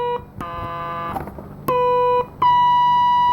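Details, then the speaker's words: Transistor tester on a card from a 1964 IME 84 transistorized desk calculator with germanium transistors. Clean steady beeps near one kilohertz with no warble or dropouts: the sound of a good transistor. "that's how good one's supposed to sound"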